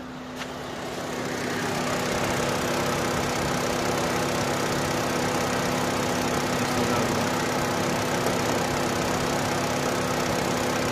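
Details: Opel/Vauxhall that cranked but would not start, now fixed: engine catches and holds a smooth, even idle with a steady low hum and no stumbling; normal idle.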